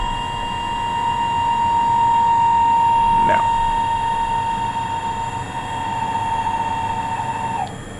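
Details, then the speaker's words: Weiler E30 lathe oil pump with a too-loose bushing, so the shaft wobbles instead of spinning true; not yet repaired. A steady, piercing whine near one kilohertz with a slight waver, then it falls away. "yeah what you just heard is the oil pump uh it has the bushing that is too loose so basically uh how the axle of the motor that of the pump is spinning instead of spinning like this it's actually spinning like like this so that's why it's making that noise"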